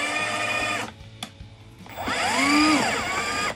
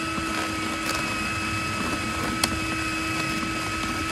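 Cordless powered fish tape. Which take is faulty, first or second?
second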